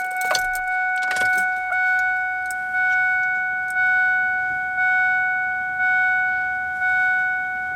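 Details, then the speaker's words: Ford 7.3 Powerstroke with custom regulated return fuel system converted from a CNC 4-line feed kit: fuel lift pump running with the engine off, a steady electric whine gently swelling about once a second, priming normally at about 51 PSI fuel pressure. "So you can hear the pump running, and then right here, I'll show you guys the monitor."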